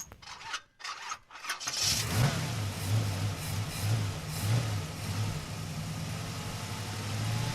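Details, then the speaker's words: Engine cranks and catches, then idles lumpily on petrol with a wavering beat about three times a second; hunting idle persists after valve adjustment, new spark plugs and a flush, compression even; throttle body cleaning planned. "dwóch ten sam wynalazek co robiłem płukankę i jak widać nierówno chodzi teraz jest na benzynie nowego telepie wymiana się nic nie pomogła"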